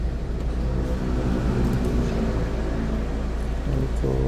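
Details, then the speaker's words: 2014 Hyundai Santa Fe with push start, after a no-crank, no-start repair, codes cleared: a steady, even low idle rumble with no misses or knocks while the air conditioning runs and blows cold; it idles normally under the AC load. "Ayan meron. May aircon na po. Ayan malamig na po siya."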